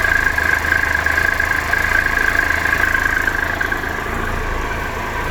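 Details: 2013 Triumph Tiger Explorer, 31,000 km, ticking cold and warm: even idle with light, quick metallic top-end ticking and faint tone; before dealer valve service, cause not confirmed.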